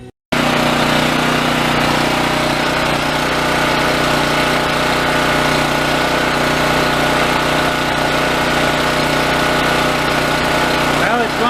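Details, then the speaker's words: Yamaha EF4600A generator, left sitting outside for years with no airbox, after carb cleaning and clearing a plugged fuel-valve screen. Steady, even drone at constant speed for over a minute, no surging or sputtering. Normal running; the fix appears to have worked. "over a minute I think that may have taken care of it"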